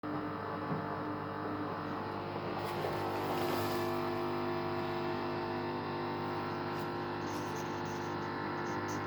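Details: Samsung WD0804W8E washer makes a steady droning hum with several fixed tones, going on and off for several minutes; owner suspects it occurs while the heater is on, unconfirmed.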